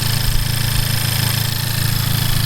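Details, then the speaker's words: FK8 Honda Civic Type R just after a PRL flex fuel kit install and Flashpro tune upload: steady petrol idle with a light, fast, louder-than-before tick, like something rubbing; ticking at idle, source not yet identified. "I'm hearing a ticking sound, like something is rubbing up against something else. Or is it just the engine?"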